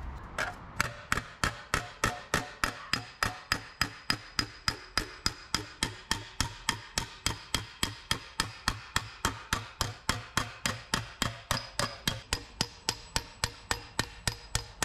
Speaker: I'm going to be continuously trying to hit the dolly here and as long as I'm hearing that clink then I know I'm on Dolly and stretching material out